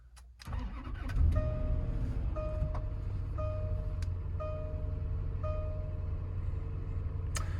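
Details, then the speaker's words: 2010 Land Rover LR4, cold start on warm-up idle with code reader showing cylinder 5 misfire: catches and settles into a fast idle with an uneven lumpy beat and felt vibration; misfire, owner suspects coil pack or other cause. "definitely seems like a little more than just a little cylinder 5 misfire."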